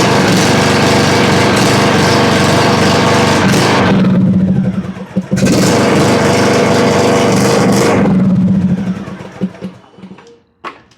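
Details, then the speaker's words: John Deere LA105 riding mower with 74 hours and a Nikki carburetor runs only on choke. Off choke it holds a steady buzz, sags, cuts out, catches and dies. Lean running from dirty carburetor jets; fix is cleaning the Nikki or replacing it with a Walbro. "Well, this one actually does run, but only on choke. Soon as you take it off choke, it'll die."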